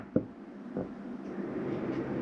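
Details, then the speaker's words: 2025 Jayco Jayfeather 19MRK travel trailer furnace switched on from wall thermostat; sharp click then steady airy whoosh with low hum building over two seconds; normal furnace start-up. "hear that kick on as you return underneath there. Now you'll notice when I shut that heat off, it does take a minute for that fan to cycle through before it shuts off."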